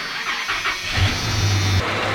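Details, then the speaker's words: Dodge V10 bought with an engine noise: catches and settles to a rough idle with a busy clatter, louder on the right side; valve train or rockers suspected, not confirmed. "And it actually sounds louder on the right side than it does on the left side, so I'll move over there. So the mystery could probably be found by pulling this valve cover off. Have a look at those rockers. Sounds like valve train noise to me."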